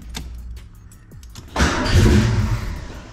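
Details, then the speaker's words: 1987-1993 Fox-body Mustang after a new ignition switch, which did not fix it: the starter clicks, the engine catches and runs about two seconds then dies, with cause unknown to the owner. "new ignition switch did not fix the problem it's still the exact same problem so I've really got no idea actually what's causing it because start it up and it just dies"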